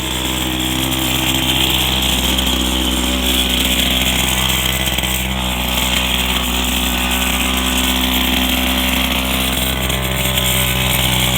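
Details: Go-kart single-cylinder engine warming up after a new carburetor and intake manifold: a high, buzzy note holds steady with no popping or surging. The engine is running evenly; normal running.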